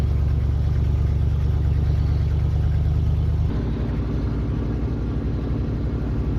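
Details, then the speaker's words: 1976 Dodge motorhome, cold idle on choke after start, voltage good, oil pressure slightly high on 15W40 or 10W40: deep, steady low rumble easing slightly as choke idle settles, even firing, no knocks or misses. Normal cold idle. "Voltage looks good. Thing sounds good. So we'll go ahead and let the thing dry off."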